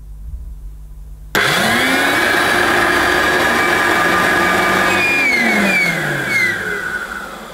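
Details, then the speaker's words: Hoover U1222 Turbopower Plus upright vacuum, first run after purchase; motor spins up smoothly then a thin wavering high squeal rises over the hum: worn drive belt squeal. "oh oh dear right it sounded okay to start with but then it started making a bit of a squealing noise didn't it"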